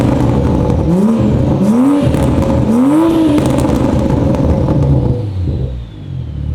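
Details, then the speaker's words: 2021 Toyota Supra after repair of its poorly installed 4-inch single-exit exhaust, which scraped and rattled: three clean blips rising and dropping back, with no rattle or scraping. Normal exhaust note. "Supra is all done and ready to rock and roll as you can hear no more rattle sounds clean"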